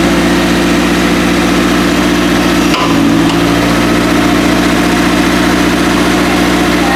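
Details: First start after a five-month winter build, idling while the steering is turned left and right to bleed the power steering: steady, even idle with a smooth low hum and one brief dip in note, no knocks or misses.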